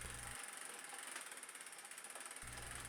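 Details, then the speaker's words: Single-speed bike with a ZTTO ZLG-01 chain tensioner: quick, steady ticking whir as the chain engages the aluminum pulley, regular with pedalling; noisy however it is adjusted or aligned, but it doesn't affect riding. "The noise No matter how you adjust it or align it The pulley is making the noise when it engages with the chain The noise is obvious but it doesn't affect the riding of the bike"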